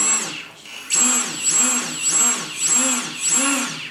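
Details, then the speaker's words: Stock brushless motor of a 550-frame quadcopter on a 12 A HobbyKing ESC, driven straight from the Turnigy 9x receiver throttle channel, bypassing the XCopter 4.7 board; clean whine sweeping up and down with throttle, no grinding or stutter; normal running. "I know the SC's work and the motors work the receiver works the transmitter works"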